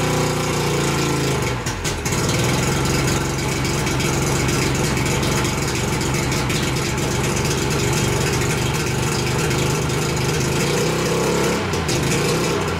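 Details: 1988 Mercury 70 hp three-cylinder two-stroke outboard, first start in years after choking: catches, steady even idle with brief throttle blips, no stumbling; sounds healthy, though fuel leaks from the middle carburetor.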